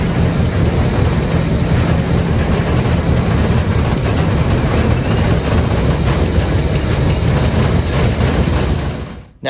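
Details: 1957 Pontiac Star Chief, sat over 10 years, after fuel pump verified and reconnected with fresh fuel: steady, deep, even engine rumble without stumbles or misses, then cuts off; fuel getting through, runs fine.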